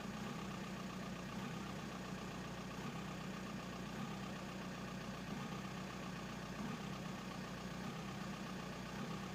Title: 1999 VW Bora/Jetta AJM 1.9 TDI 85kw bad injectors